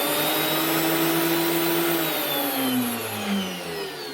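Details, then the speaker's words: DeWalt DW733 thicknesser after replacing the drive belt (worn on one side, causing vibration) and blades: steady high motor whine with cutter hum easing off evenly, no thumping or rattling; runs smooth. "No more jumping all over the place. The belt was actually causing the vibrations because it was worn at one wee side. New belt gets it running smooth."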